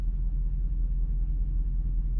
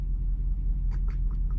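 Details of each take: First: Dodge V8 that sat seven to eight months, idling at about 700–800 rpm after a 15-minute drive out and back, oil low and dirty, check-gauges and throttle body sensor lights came on: deep, even, smooth idle with no misses or knocks. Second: Dodge truck that sat seven or eight months, warm after first drive: deep even idle with light quick ticking on top, attributed to exhaust with lifters audible; valvetrain tick suspected, not confirmed.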